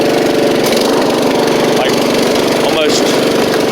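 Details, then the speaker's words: Riding mower with safety switches bypassed: steady, even engine drone with no knocks or misses; slight exhaust leak, but it runs, drives and cuts. "let's see little bit of an exhaust Le but but it does run drive and cut"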